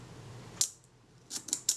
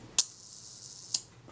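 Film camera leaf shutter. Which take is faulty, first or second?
first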